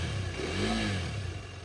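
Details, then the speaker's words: 2019 KTM RC 390 BS4 single-cylinder, about 17,423 km: blips up briefly and drops back to a steady idle, smooth with no knock or rattle; slight vibration noted but no sound issues. "സൈഡിൽ sound വ്യത്യാസ കാര്യങ്ങളോ ഒന്നുമില്ല കേട്ടോ just ചില ഒരു vibration വരുന്നുണ്ട് അല്ലാണ്ട് വേറെ കുഴപ്പമൊന്നുമില്ല"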